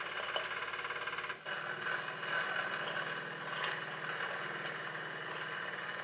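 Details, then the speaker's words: Small, little-run steam engine of an unfinished Victoria steam boat during a live steam test of the full plant: light, quick, even chuffing over steady steam hiss, no knocks; runs well, normal running. "the engine is really running well it's very good indeed"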